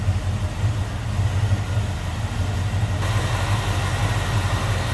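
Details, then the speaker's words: 1967 Chevrolet Camaro Convertible V8 idling at the tailpipe: mild cam gives a deep, slightly uneven burble without misses, nothing crazy; normal idle. "Mild cam, a little bit of a rumble out of it, nothing crazy."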